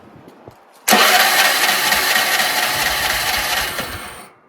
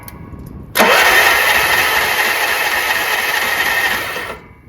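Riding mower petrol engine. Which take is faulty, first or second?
first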